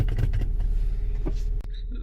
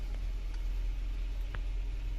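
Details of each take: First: Toyota Camry 4-cylinder, cold morning start, customer complains of low idle and stalling, no DTCs: slow, lumpy idle with no start-up flare, sagging toward stalling at very low rpm; sticking idle air control valve. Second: Toyota Camry 4-cylinder after fixing a sticking part and reassembly: low, even idle with steady rumble and no misses or hunting; normal idle.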